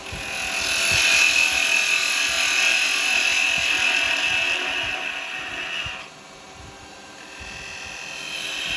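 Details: Record Power 1/4" spindle gouge cutting wood on a lathe after being shortened and reground: even, steady high hiss with no screech or chatter; less flex, a clean smooth cut.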